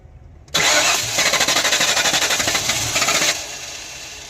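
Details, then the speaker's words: Mystery project car, battery tested dead and replaced, distributor found loose with timing unknown and rotated both ways: starter churns about three turns a second, engine catches briefly then stalls, fires then dies; occasional spark, timing suspected, not confirmed. "We're getting some spark occasionally because it has fired and then immediately stalls out."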